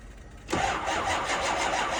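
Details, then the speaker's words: 2005 6.0 diesel, cold start at 15 degrees in New York, on two batteries and a jump pack: starter spins with quick, even compression pulses but the engine never fires into idle; cold cranking no-start, cause unconfirmed. "And that's that, bro. They don't always start. That's 2 batteries and a jump pack. It almost went. We're close."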